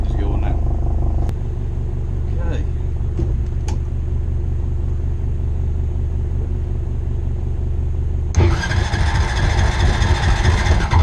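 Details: 2001 Honda Rancher ATV left outside for years, revived with new carburetor, fuel petcock, pull start and battery: steady even low idle with no misses, then a clean quick rev; running smoothly.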